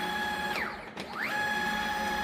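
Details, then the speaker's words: CNC plasma table after bed extension to 2.6 m by 1.3 m: steady stepper whine as the gantry runs at slow speed over the lapped joint, no knock or chunkiness; the knocking heard is the follower. "Um, and it's going over the joint now. You can't even tell it's gone over the joint. So, that's working fine."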